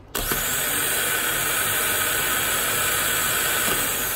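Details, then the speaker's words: Powermaster 9103 small-block Ford starter, about two months old, after solenoid replacement, bench-tested on 12 volts: engagement click as the Bendix pops out, then a clean, steady high whir with no grinding; healthy. "we got juice coming through it's turning I would advise you not to touch that while you're trying to turn it because it will probably rip the skin off your hand and not care about it so yeah I mean it sounds good"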